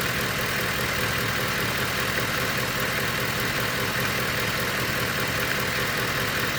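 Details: 2010 Ford F-150 Lariat 5.4 L Triton V8, newly bought: steady idle with a faint, loosely regular tick about two or three per second; knocking of unknown origin, owner unsure if normal.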